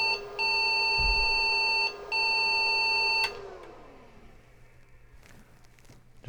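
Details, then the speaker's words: IBM 5150 PC build, motherboard newly screwed to case: a series of long power-on self-test error beeps; owner suspects the new motherboard screws since nothing else changed, and after removing them the error message changed (4098) and it booted to BASIC. "a series of long beeps maybe my screws have something to do with it we'll take those out and try him again because nothing else has changed since the last video"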